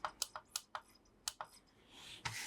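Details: 2009 Lego LG11003 CD boombox after repair, skipping a track: a few sharp button clicks, then a short, soft whirring sweep as the laser sled travels. The mechanism sounds normal; there was no audio only because a cable was left unplugged.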